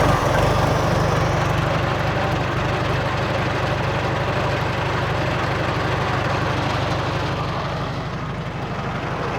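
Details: 1948 Farmall M tractor just started in neutral, brakes on, no choke, warming up before an oil change: slow, even four-cylinder thump about three beats a second, no knocks or misses; healthy idle.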